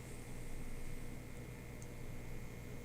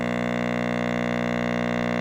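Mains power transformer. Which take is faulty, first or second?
second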